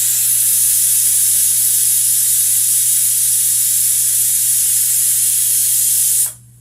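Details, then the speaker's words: Pressure cooker cooking Spanish-style bangus, lid sealed on the stove, at the whistle before 1 hour 20 minutes of cooking; loud, steady steam hiss over a low hum for about six seconds, then cut off: cooker at full pressure. "And wag yung kakalimutan ang pito na yan mga kaimbento. At pag pumito na yan, pakukuluan natin siya ng 1 oras at 20 minutes."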